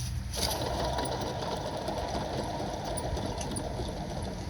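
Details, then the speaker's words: Removed alternator from a 2000 Ford E150 van 4.2 V6, spun by hand off the engine: dry, gritty rumble with faint squeaks from a worn, rusting bearing, expected louder under belt tension; replaced with new unit. "can you hear it you can hear like a little rumbling on it so that noise will be louder with a little belt tension"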